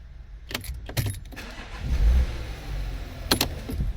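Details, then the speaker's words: Porsche Cayenne 92A diesel after charging its weak 520 A battery: a few light clicks, then an instant start into an even diesel rumble with no slow cranking; the battery is to be replaced. "all right the car starts straight away no delay and no struggle to actually turn over"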